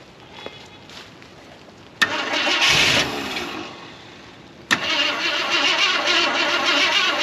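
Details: 1973 Ford F250 flatbed, FE390 V8, woken after long storage with fresh plugs, rodent debris in engine bay: two bursts of fast even cranking, engine never catches. Cranking after long storage, no start.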